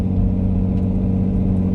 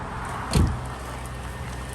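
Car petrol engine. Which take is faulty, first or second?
first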